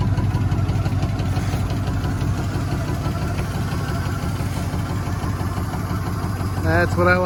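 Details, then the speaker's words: 1977 Chevy C10, first running after sitting since 2006: rough V8 idle with uneven light tapping clunks; owner says one clunk is a broken flex plate, the rest noisy lifters. "one of those clunks is a broke flex plate the other 16 clunks are lifter"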